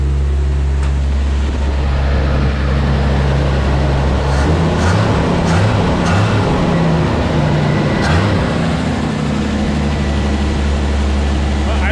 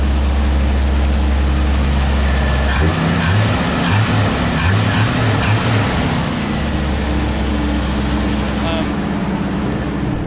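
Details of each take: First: 1981 Chevy C10 squarebody, cold start: loud, fast cold idle with a steady droning tone over it; power steering pump whining, owner knows fluid is low. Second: Squarebody Chevy truck after fixing an obvious exhaust leak, idle slightly high while warming, power steering screaming: steady deep idle with no puffing or ticking from the manifold; exhaust sounds sealed.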